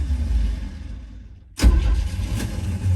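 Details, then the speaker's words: 1975 Chevy C10 truck, first crank, just battery hooked up and fuel fed from a gas can, gas pumped twice: low labouring crank rumble fades to near silence, then starter bangs back in; starter disengages while cranking. "So that starter kicks out."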